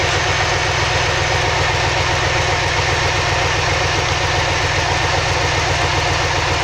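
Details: 2003 Chevy Silverado with the 6.0 V8 (2500 or 1500), check engine light with code P0300 random misfire, during a cylinder unplugging test: loud idle with an uneven, loping beat of two or three stumbles a second. A cylinder is dead, rough misfire; cause not confirmed.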